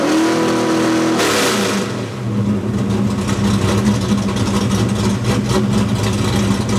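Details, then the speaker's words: Fox body Mustang V8 with stepper idle valve conversion during idle tuning: short rev, then revs come in high and settle to a steady lumpy idle without hunting or stalling. "So, the idea here is we want the idle to come in above our target and then settle in nicely so we don't end up with a stall condition."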